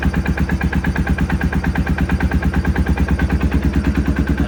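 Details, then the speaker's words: 2016 Polaris Sportsman 570 with the HMF exhaust pipe refitted for back pressure, plug slightly black, spark good: loud, uneven low chugging at about three beats a second. It idles without throttle, its longest run so far. "it's not taking much throttle or any throttle but it's starting in idling now that's a good sign"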